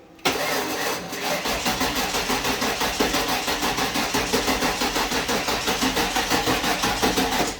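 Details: 1996 Ford F-150 that hadn't run in a year, first start after fuel pump and gas tank replacement: engine catches straight away and settles into an even, steady pulse around four beats a second with no misses or stumbles; healthy start.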